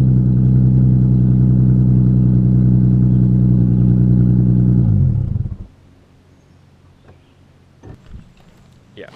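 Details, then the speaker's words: Loud, raspy idle chuffing about three to four times a second until shutdown; exhaust leaking at worn flex joints, with the exhaust separated from the Y-pipe after its bolts were cut. "So it sounds like shit right now, like really badly, because there's exhaust leaks from the flex joints, and I just need to get all that figured out."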